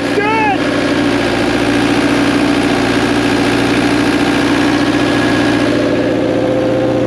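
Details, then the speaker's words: JLG lift diesel engine, back together after engine trouble, small fuel leak on top: fires and holds steady, even diesel clatter at idle with no misses or knocks; runs healthy. "she sounds good I know it we got a little bit of the fuel Lake up on top but it's an easy fix"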